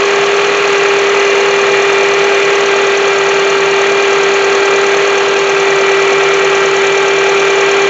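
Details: 2007 Honda CR-V at idle: steady mid-pitched whine over smooth idle; diagnosed as bad alternator not charging, about 13.7 V, only 12.23 V with load; alternator to be replaced.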